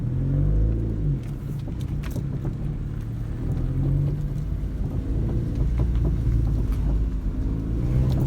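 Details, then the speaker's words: 2010 second-generation Mazda 3 while turning: irregular light clunks and rattles over low road rumble from the left front; a front sway bar end link is found to be the cause. "if anybody knows what that noise could possibly be it sounds like it's coming from the left front end"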